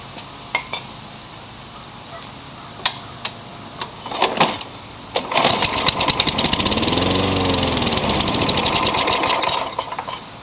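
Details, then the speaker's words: Craftsman mower small engine with a cracked primer bulb: catches after several cord pulls, runs rough and lean for a few seconds, then sputters and dies. Classic carburetor fault; carburetor replacement planned. "so it starts and dies this is your classic carburetor issue so it actually stayed running that's the first time that's done that but it still sounds like it's running too lean"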